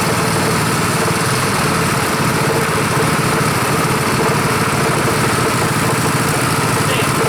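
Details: Rebuilt Honda 5.5 HP single-cylinder engine running outside after rebuild: idles low and even with a steady thrum and no misses or knocks. Idle is lower than the other engine; sounds healthy, normal idle.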